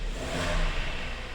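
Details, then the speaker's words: 2012 Hyundai ix35, G4KD petrol engine, front-wheel drive, 130,000 km, warming up: metallic ringing rattle over the low rumble, rising when throttle is applied and released; piston slap from scuffed cylinders, engine due for overhaul. "как звенит но по ходу при наборе газа и при отпускании газа вот как раз и происходит зон"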